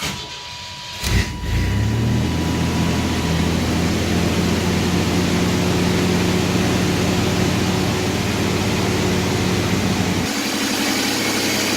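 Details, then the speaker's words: 1992 Chevrolet S10 2.8 V6 5-speed after replacing a bad, intermittently loud idler pulley bearing: engine starts and settles into a steady, even idle with no belt squeal or chirp; belt drive now quiet and smooth. "kitten make sure there's no issue in the bail pictures not long all squeaking but I think smooth good to go"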